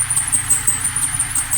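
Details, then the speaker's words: Overheating Zotye Hunter at idle, with the AC on and the electric fan left dead by earlier shops' improvised wiring: a thin, high chirping squeal pulses over the idle as the compressor pulley and belts slip under overload. "Ahí vemos como la polea del compresor empieza a quejarse ahí, a hacer ese sonido,"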